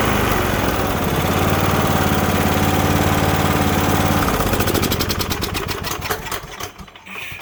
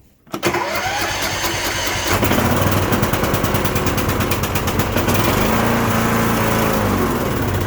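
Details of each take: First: Cub Cadet LTX1045 riding mower, Kohler Courage 20HP, that kept dying off choke; after draining water-contaminated bad fuel, cleaning and new fuel filter: steady even beat holding constant speed off choke, no surging; runs properly. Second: Cub Cadet LTX1045 riding mower with Kohler Courage 20HP engine, back after head gasket and valve work: cranks, catches and runs lumpy with popping and crackling. Dies off choke. Most likely bad fuel; the gas looks orange and smells bad, suspect water in the carb bowl.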